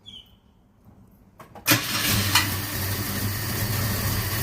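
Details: 1977 Ford Escort Mk2 starting after storage, with WD-40 sprayed into the spark plug holes beforehand: a few quiet cranks, then it catches sharply and settles into a steady, even idle while blowing a bit of smoke. Normal start and idle.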